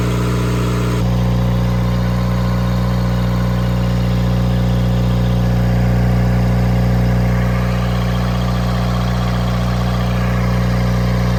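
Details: Cummins four-cylinder marine diesel generator on a 94' Broward yacht, running after fouled injectors were replaced (previously smoking and leaving a sheen on the water); deep, even drone with steady hum, no misses or knocks, no smoke.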